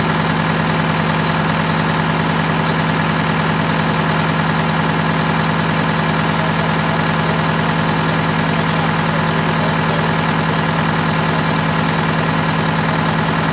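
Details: Wanderlodge bus Detroit Diesel 8V92TA after low-boost fix (new injectors, new turbo, new air filter, correct oil): steady even idle with smooth low rumble, no knocks or misses; healthy.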